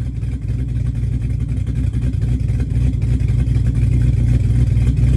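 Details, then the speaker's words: 1966 Chevy C10 with LS swap, newly fitted Flowmaster 10 Series mufflers replacing Cherry Bombs, warmed up and revved: deep, even V8 rumble with steady lope swelling as revs build, no rattles or leaks; healthy exhaust note. "all right yeah I got to say I think that to me that sounds a lot better than the Cherry Bomb so I'm pretty happy with that"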